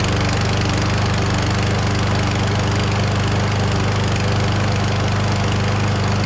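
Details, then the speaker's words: Certified push mower (Canadian Tire) after replacing missing oil dipstick, fresh oil and gas: steady, even single-cylinder drone with no misses or surging, no oil leaks at dipstick; running smoothly, normal running. "so she's running like a top I don't see any leaks at all out of the oil dipstick there"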